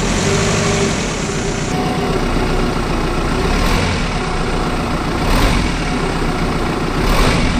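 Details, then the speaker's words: 1998 Toyota Camry 2.2L 5S-FE, in drive on the brake with throttle taps: engine drones with heavy thumps as it shifts; front engine mount completely failed, not holding, engine banging around. "all right as you can see that front engine mount is completely done there it's not holding at all"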